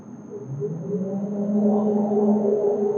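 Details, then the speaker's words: Orion 5 kVA online UPS, internal view, switched on with fan running: steady low transformer hum swells in and holds even; proves the inverter section is on, normal operation. "इसको on करते हैं तो transformer से एक आवाज आना शुरू होगा।"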